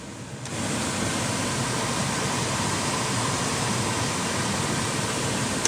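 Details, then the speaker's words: 2014 Volkswagen Jetta after replacing the blower motor resistor (heat previously worked only on setting 4): smooth, steady rush of air with no rattle, squeal or cutout, now working on settings 1, 2 and 3; normal blower operation. "Oh yeah. You hear it? It's working on 1. It's working on 2. It's working on 3."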